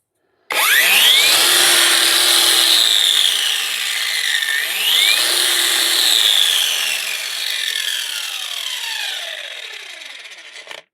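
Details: Parkside Performance angle grinder repaired with a relocated momentary push button: high, even motor whine rising on spin-up and falling as it coasts down, twice, no rattle or grinding; runs normally.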